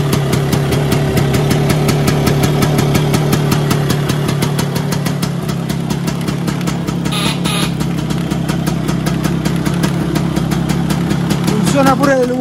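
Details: Vespa PX 125 with 177 kit, restored engine (new bearings, gaskets, piston, rings, lapped cylinder, first-gear parts), first start after a year on 2.5% mix. Owner says idle needs raising. Quick, steady popping, about three beats a second, no knocks. Normal idle.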